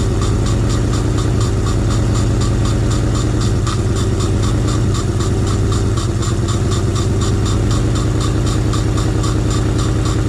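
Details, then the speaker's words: 1986 Fox Body Mustang 302 five-speed sat 15+ years, running on sprayed fuel with intake off: steady low idle, even firing, no misses or knocks; normal idle, though fuel pump still not working and a possible exhaust leak suspected. "Well, it runs. All right, as you can see, we made it run."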